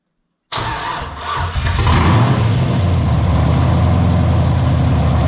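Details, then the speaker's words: LS-swapped Ford LTD Crown Vic running open loop with no upstream or downstream O2 sensors fitted and no throttle cable: V8 fires right up and settles into a deep, steady idle; oil pressure being watched. "remember guys there is no down or Upstream O2 sensors but it will run an open loop for a little bit"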